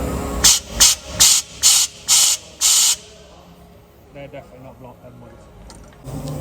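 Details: DAF LF truck with AdBlue fault: airline blown through the pipe from the EAS unit, six sharp strong unrestricted bursts of air hiss about two a second; the pipe is clear, not blocked.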